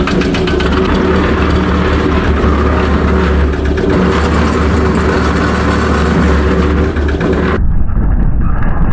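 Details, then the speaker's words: Restored concrete mixer with Lister diesel, test run after refitting drum: diesel chug under loud, constant harsh gear grind; drum sways so ring gear pushes against drive gear. "Jesus, this thing makes an awful racket. Really bad. It's actually pretty loud in person. The ring gear and the drive gear here, there's a bit of a sway to it, and you can definitely hear it when it's pushing against the drive gear here."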